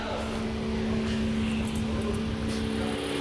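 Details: Toyota Avalon with a lumpy, uneven idle and an irregular stumble, with strong vibration felt through the steering wheel. Cylinder number two is confirmed misfiring, and its ignition coil is being checked. Misfire, rough idle.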